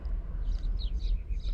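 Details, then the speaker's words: 2002 Nissan Sentra 1.8 L in drive at a stop: slow, lazy idle with deep uneven throb, about 600 rpm versus 800 spec, recovering in neutral; low idle, later traced to clogged Bank 2 catalytic converter restricting exhaust. "see how the idols really went very low now let me show you back on the scan tool it's currently showing ball an average of 600 rpm which is to me that's very low"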